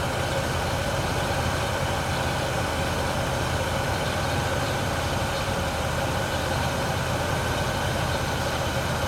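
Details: Engine idling fully warmed up, recorded from the front of the engine: steady idle with faintly uneven low beat underneath, no clear knock; owner asks if it is misfiring, unconfirmed.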